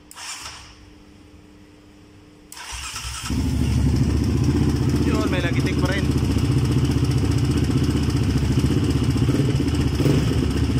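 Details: Yamaha Raptor 700cc ATV engine starts and runs with a rough, steady knock of about four beats a second under the exhaust note; noisy engine traced to a failed crankshaft bearing.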